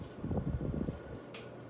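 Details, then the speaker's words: Vintage 1980s Kmart Carroway EF100 fan run from zero to high, slightly faster than its View Fan V36 partner. Rough low rumble and a faint steady ringing from audible motor bearings. "here's zero to high the caraway is a little faster you can really hear the bearings on it"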